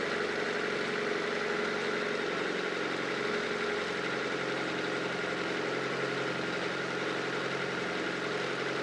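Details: Honda CR-V (RD1) after replacing a burst small upper HVAC heater hose and refilling with water: steady, even petrol idle, smooth low hum, no misfire, knock or surge; owner checking for head-gasket bubbling.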